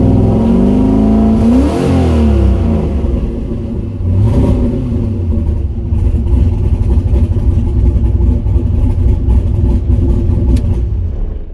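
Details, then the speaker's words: Turbo LS-swapped Miata, first start on new tune with coupler fitted, not yet warm: engine catches and revs unevenly, then settles into a lumpy, loose idle; running very rough, fuel pressure needs lowering, cause not pinned down. "O2 sensor seems to be working it's still running very rough but there's a few changes that need to be made"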